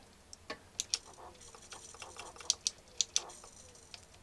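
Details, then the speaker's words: Sanyo VCR-6100 Betacord VCR with power-up trouble: irregular sharp snaps and ticks, a couple per second, from an arcing bad connection in dirty switches; power switch first suspected, then the timer switch. "it's having troubles powering up there's an arc somewhere you can hear it i think is this switch"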